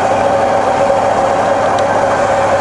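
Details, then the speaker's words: Rebuilt Bridgeport mill on 240V single phase, high range about 800 rpm, quill power feeding down until it touches the stop and trips out automatically: steady even mid-pitched motor drone, no knocks, grinding or surging; normal quill feed. "so if you see this main part of the quill here this come down and touch the stop and it'll trip out automatically that works great"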